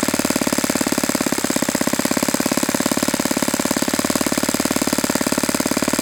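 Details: Saito FA-91S model four-stroke glow engine, not run in many years, on a test stand on a chilly ~60°F day, running a Fox Miracle plug after a rough start: crisp, even, rapid firing at steady speed with no misses or surging; normal, well-tuned running.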